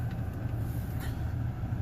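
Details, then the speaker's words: 2011 BMW 535i after repairing a shorted valvetronic motor that caused a 5V reference fault and reduced power, reflash and relearns: low, soft, even rumble with no misfire, stumble or ticking; normal healthy idle. "Let's scan one more time and this thing runs awesome it's a cool little car"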